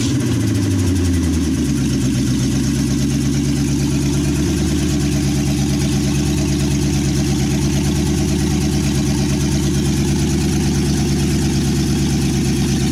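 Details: 1963 Chevy C10 with 355ci small-block V8 (350 bored .030 over), Turbo 350, reportedly low miles, second start after years sitting: deep, loud, even burble from open pipes, quick rev back to steady lumpy idle; temp gauge not working, normal idle.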